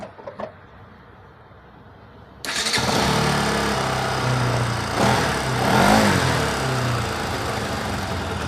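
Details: Bajaj Pulsar NS 200 after timing chain and tensioner replacement and timing setting: after a quiet pause the engine fires at once and settles into a steady, even idle with no chain rattle or ticking.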